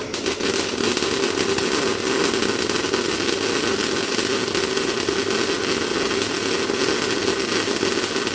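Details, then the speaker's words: MIG welder with 0.8 mm wire, set up properly: steady, even sizzling crackle like frying bacon with no pops or gaps. This consistent sound shows correct wire speed and amperage. "So that's that sort of a consistent sound you want to be listening for."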